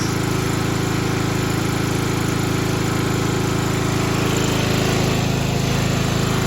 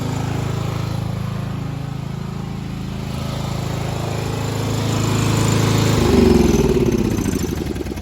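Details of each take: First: 1995 Craftsman LT4000 lawn tractor, single-cylinder engine, after sump gasket replacement, throttle picked up: steady thumping at a fast even beat with a light buzzy rattle on top. Engine vibration shaking a loose panel by the hood; engine running nice. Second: 1995 Craftsman LT4000 lawn tractor, single-cylinder engine, after removing the engine to replace the sump gasket: even putter near four beats a second, swelling slightly and settling, no misses or knocks. Idling nice, could be lowered slightly; only the breather tube still leaks. Normal idle.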